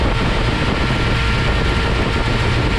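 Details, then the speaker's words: XR engine warmed up before its first test drive: a deep, steady rumble as the idle picks up and settles, even with no misses or tapping. Oil pressure is about 40 psi and water temp 160 with a new 160 thermostat. "you see that idle just pick up? That sounds absolutely beautiful. Wow. Beautiful."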